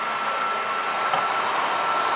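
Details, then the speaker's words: PlayStation 3 Slim 250GB (CECH-2002x): after about 30 minutes of any activity, the cooling fan makes a constant loud airy whoosh with a steady thin whistle. Fan and thermal compound are to be replaced. "after about turning into 30 minutes of any activity fan makes this loud excessive noise enough you can hear it"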